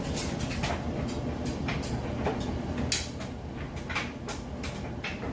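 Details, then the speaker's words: Whirlpool Estate extra-large-capacity electric dryer tumbling a good-size load of wet clothes fresh from the washer: steady drum rumble with soft irregular thumps of falling clothes, no squeal or scrape; normal smooth tumbling, heating correctly. "can see it's got nice smooth operation sounds great"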